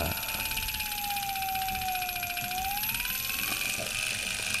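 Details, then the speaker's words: Unimat 3 lathe milling head driven by a 24 V DC scooter motor with variable speed control. Smooth quiet run, a thin whine changing pitch with speed, and a faint tick from the belt join. Normal running. "as you can hear it's uh a reasonable smooth running quiet setup and I think that's just the uh tick from the belt yes as you can see there's H the join in the belt there uh just makes a little tick as it goes around"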